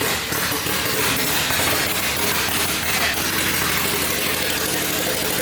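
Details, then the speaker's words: K-swapped Civic first start: rough, uneven loping idle with lumpy missing beats and a loud raw rasp, blamed on the aggressive cam; oil was also seen squirting out of the head, so it was shut off. "Bri, you hear that fucking brat? That bitch had chop. Yeah. Cam in this fucking thing."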